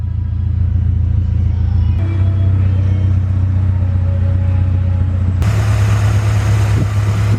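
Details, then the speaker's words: H22A4 Honda Prelude that idled low (about 400 rpm); just after throttle body cleaning, low uneven loping idle with no clean rhythm, likely as cleaner residue burns off, expected to run smoother afterward: rough idle. "gonna run rough once all the throttle body cleaner evaporates out of the throttle body it will run a lot smoother"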